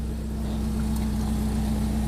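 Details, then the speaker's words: Nissan 240SX KA24DE idling roughly with an exhaust leak where the 2.5 in header meets the roughly 3 in catalytic converter (adapter bought as the fix); a low, uneven drone with a raspy edge. "you probably hear that bad idle um since my catalytic converter is um I think it's like a 3 in Outlet or Inlet it um and the headers is 2 and 1/2 I have an exhaust leak right now"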